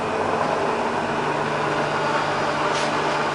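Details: Bridgeport Vari-speed milling machine spindle at low speed, about 60 rpm: steady even hum with a light whir, no knocks or grinding; spindle turns smoothly and is fine.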